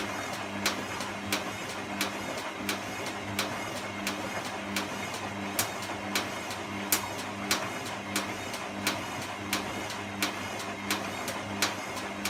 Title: Clicking noise